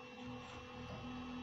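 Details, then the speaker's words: 3D printer's new 40x40x10 mm hydraulic-bearing brushless RGB hotend cooling fan once the hotend heats up: constant high-pitched whir with a steady, unwavering tone, no rattle or grinding; just running loud. "that fan's not quiet"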